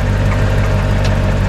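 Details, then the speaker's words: Chevrolet Corvette C4 engine at idle after hard driving: heavy low rumble with a rapid, terrible knock tied to engine speed from inside the engine, not a pulley; won't hold idle, no visible oil leak; serious internal knock. "Andy I need you it's knocking like terribly and it doesn't want to idle anymore"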